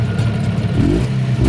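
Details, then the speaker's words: Jawa 640 two-stroke after honing used cylinders following seizure, piston clearance raised 0.05 to 0.06 mm, 200 km into break-in, cold: crisp buzz rising and settling with throttle, slightly louder cold, no knocking, clicking or rattle; normal running. "Na hladnem, nekoliko bolj hrupnem, ni tujih zvokov. Sliši se to zelo šumenje, le malo glasnejše. Nič ne poka, ne potrka, ne klikne ... Lepo!"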